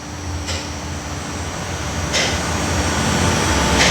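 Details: Toyota Avanza that shook and stumbled badly with no power after driving through floodwater, new spark plugs didn't help; after the four clogged injectors were cleaned, steady rumble climbing a little with each throttle blip, no stumble, white smoke from water clearing, running evenly.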